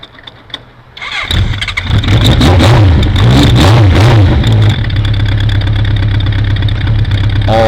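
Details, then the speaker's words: 1982 Honda CB900F four, fully cold, no choke, with accelerator-pump Keihin FCR 35 flat-slide carbs, pod filters and a Vance and Hines exhaust, after a fresh valve job and carb sync. After a second of quiet it catches quickly and settles into a steady, even idle with blips; normal cold start. "it does have accelerator pumps which is why it'll still start pretty well even when it's cold but it's all the way cold"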